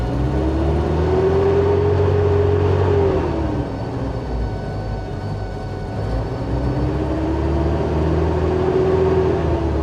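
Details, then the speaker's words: Bombardier Bombi with Holley Sniper 1100 fuel injection, after exhaust manifold crack fix, restarted after stalling, warming up, idle set 900 rpm: speed swings up and down every few seconds, hunting instead of holding. Rough running; owner suspects closed-loop changeover, unconfirmed; stalls again. "Oh, it's running a little rough right now. I'm just going to let her go and see if she carries on her own here."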